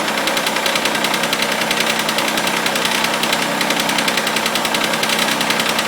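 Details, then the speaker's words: Mitsubishi Eclipse just after a cold start, in the garage: an even metallic tick about two or three per second over the idle that sometimes goes away; owner suspects lifter or hydraulic tensioner, cause unconfirmed. "So, if anyone could help me figure out what is making that annoying clank. Like I said, it goes away sometimes, but thanks in advance."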